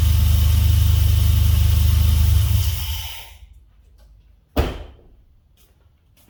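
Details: Swapped Dodge 3.7 V6 in a truck, brief run after new crank and cam reluctor rings fixed a no-start. Even, steady low idle for a few seconds, then a clean shutdown and one clunk: runs normally.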